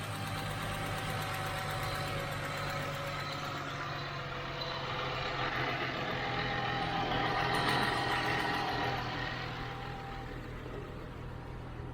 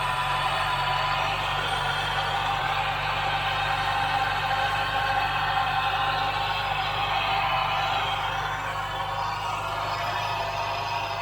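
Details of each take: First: 2009 Ford Mustang V8 with aftermarket cold air intake, after the noisy AC compressor was dealt with: idles and revs smoothly with an even note and no power steering or accessory whine; sounds healthy. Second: 2009 Ford Mustang, engine running, faint steady whine that doesn't change pitch; owner suspects the power steering pump, but nothing is heard in the steering; possibly a belt-driven accessory bearing, unconfirmed.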